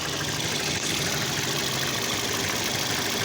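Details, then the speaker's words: 2007 Toyota Yaris 1.5L idling with a steady hiss and faintly uneven low beat: misfire on cylinder 3, persisting after new coils and swapping parts. "qué tal tengo aquí un toyota yaris 2000 7 tengo un miss fire"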